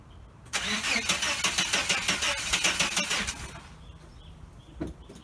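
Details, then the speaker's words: 1989 Chevrolet S10 Blazer that won't start after everything was reconnected. Even starter cranking for about three seconds never catches or fires, then silence: cranks but no start. The cause is suspected, not confirmed. "Here we go again. Not going to start, huh? One more time, one more time, one more time."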